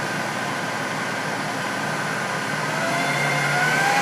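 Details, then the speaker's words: Jet-16 milling machine after its out-of-balance, irregularly worn spindle pulley was machined true: steady, even motor and belt hum rising from about 1100 to about 1500 RPM flat out, with no thump or wobble; runs smooth. "so flat out she's running about, 1500 RPM it's pretty damn smooth we can still go down low"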